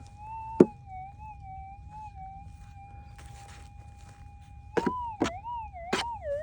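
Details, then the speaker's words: Minelab GPX 6000 metal detector with GPZ 14 coil, low sensitivity, normal ground mode: threshold tone bends and warbles as the coil passes a rock, between knocks; hot rock false signal. "Yeah, hot rock. I'd say I'll just dust it off a bit just in case there's something on it."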